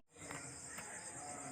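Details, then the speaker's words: Yamaha Vega Force FI motorcycle, long stored, that would not start and had run rough: at key-on with the engine off, a faint steady whir lasting about 1.5 seconds as the fuel pump primes; normal. "Okay mga idol kapag sinusi niyo yung susi ng ating Fi na motor is meron kayong maririnig dito sa kanyang fuel pump na parang dinamo na umiikot y"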